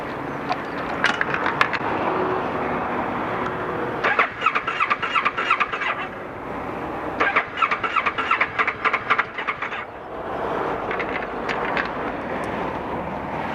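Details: 2012 Kawasaki ER6N restarted warm after a 7-mile ride and 2-3 minutes off: starter whirs in repeated bursts, engine never fires, EML light flashes; connections and fuses fine; owner suspects crankshaft or camshaft sensor.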